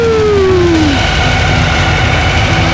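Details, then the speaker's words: Fresh VW 2332cc stroker street-rod engine on first-start break-in at 1400-2000, after about 5-10 minutes running: loud steady even roar at constant speed, no knocks or misses; running smoothly. "we've been running it already for about five to ten minutes and it has been smooth as a baby man"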